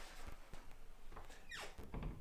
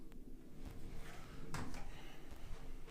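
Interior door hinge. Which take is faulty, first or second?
first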